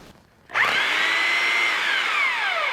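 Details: Porter-Cable model 2621 3/8-inch corded hammer drill, made in USA, salvaged from a junk pile, running at speed 1 in hammer mode: a clean, steady high whine that sags slightly with no rattle or grinding, indicating a healthy motor and gearbox.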